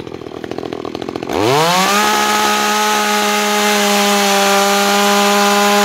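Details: New Makita EA3200S chainsaw, first start: a few pull-cord rasps, then it fires and climbs to a high steady clean buzz with no misfire; healthy.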